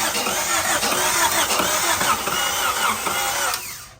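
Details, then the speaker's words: 1990 Civic with a ZC DOHC swap, first crank after the engine had been sitting: the starter spins it with an uneven churning beat but it never fires, and compression doesn't sound good. Crank no start. "Something's starting and stopping. See what it does? Yeah. It turns over, it doesn't sound the best."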